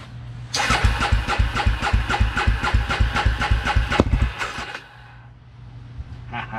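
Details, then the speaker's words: 2003 Polaris Predator after reassembly with the carburetor, a new spark plug, fuel line and filter: labored cranking at roughly three to four strokes a second for about four seconds, with no catch. The starter sounds tired. "That starter sounds like crap."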